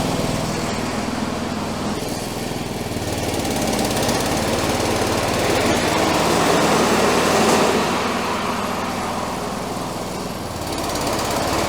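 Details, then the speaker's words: 1984 Workhorse GT100 with stock 212 Predator swap, restarted with mowing deck engaged after freeing stuck deck pulleys; single-cylinder chugs evenly about four beats a second under loud deck whirr; noisy but normal. "I mean, it is noisy, but it's working."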